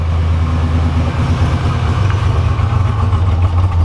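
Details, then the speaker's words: 1987 Buick Grand National, sat over 10 years, after a new tank, fuel pump and lines, still stinking of old gas: deep, uneven rumble that wavers and sags as if about to die, a rough, unstable idle. Owner suspects a vacuum leak, not confirmed. "Oh, it's gonna stall. Stinks like old gas still. It's not happy about something, so that's kind of unfortunate."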